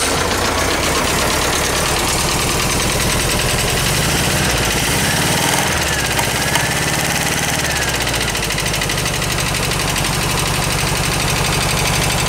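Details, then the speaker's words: VW Bus air-cooled four-cylinder engine, just after valve adjustment for tight valves: rough idle, still loud tapping and pops back through the carb; burnt valve suspected, compression test planned. "her I don't sounds better still tapping loud juding by the way that's popping through the carb has a burnt valve"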